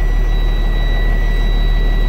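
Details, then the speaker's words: 2017 Freightliner with Cummins engine and Allison automatic, no-start because neutral wasn't detected; loose connection taped, now starts: deep steady diesel idle, even beat, no misses or knocks. "so that was the problem okay so now the truck starts now i got one taping verify okay"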